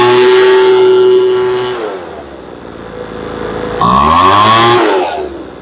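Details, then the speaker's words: Poulan Pro two-stroke leaf blower with a suspected carburetor air leak, after adjusting the mixture screw about 1/8 turn: screams steadily at high revs, drops off, returns somewhat slowly; running healthily. "She sounds really nice. The motor screams. A little slow coming up."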